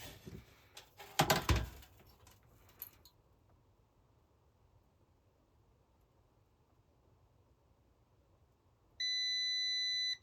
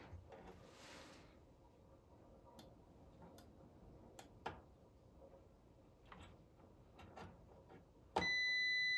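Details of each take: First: Multimeter continuity test on a Supersonic pinball board, checking legs after swapping in parts from another board: after handling, one steady high tone lasting about 1.5 seconds; continuity beep, good connection. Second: Supersonic pinball lamp driver board, continuity test of transistor Q50 (bonus 8K lamp): quiet probe clicks then a steady high beep on Q50 alone, indicating it is shorted and needs replacing.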